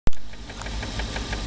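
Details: 1994 BMW 325is (E36): sharp fast ticking, six or seven per second, over a slightly rough idle, smoothing above idle; no codes; began after a long 135+ mph run; cause unknown.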